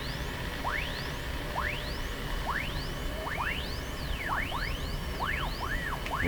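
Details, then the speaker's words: Sony TR-712 transistor radio: whistles sweeping up and down in pitch, crossing each other, caused by a nearby radio's local oscillator beating against this set, not a fault in the TR-712. "So what's happening is the local oscillator in this radio is affecting this other radio. That's what's happening there."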